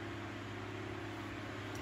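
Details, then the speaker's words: 1980s Sanyo 9-inch oscillating fan (2-speed shaded-pole C-frame motor), unoiled before restoration, on high without oscillating: steady, even hum with a constant low drone and smooth airflow rush, no rattles or ticks; a good running fan. "so there it is on high it's a good running fan"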